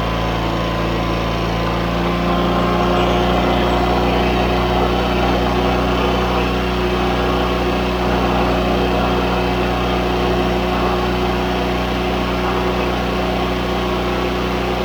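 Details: John Deere 317 riding mower twin, after carburetor cleaning (clean main jet, fuel flowing to the bowl), gives a steady, even drone at constant pitch with no misses or knocks; running healthy.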